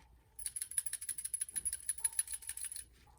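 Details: Hyundai Sonata 3.3 V6 with 144,000 miles, new PCV valve shaken by hand versus old one: quick, crisp, free clicking about three rattles a second, bright and open, old one sounds clogged; healthy, unclogged PCV valve.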